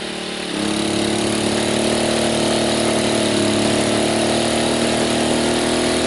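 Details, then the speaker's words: Sportsman 1000W surge/800W inverter generator with coffee pot plugged in: steady hum jumps to a higher, louder, strained note as load comes on; overload light blinking. Inverter generator overload. "well we got the overload button blinking"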